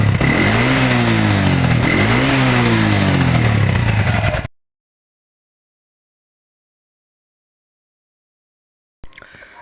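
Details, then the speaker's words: Old Honda Revo single-cylinder motorcycle emitting smoke, revved up and down twice: coarse uneven exhaust beat, then cuts out; rough running alongside the smoke problem, cause not yet found. "Suara mesinnya cukup kasar, seperti yang terdengar di video sebelumnya. Kemudian, masalah kedua adalah asap."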